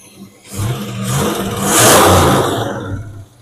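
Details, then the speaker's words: 1977 El Camino after 10 years sitting, Marvel Mystery Oil burning off, temp near halfway, pipes hot; revs pick up and fall back smoothly with no knocks or misfires, sounds healthy but smoking heavily. "It does sound healthy, but man, smoking like a bastard. It is."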